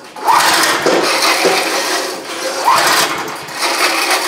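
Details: Antique Parmi Lazy Boy single-stage snow blower, guessed to be about 40 years old and barely used, 3 hp Briggs & Stratton, started after a few pulls: busy, buzzy single-cylinder running at steady speed with little surging; running happily.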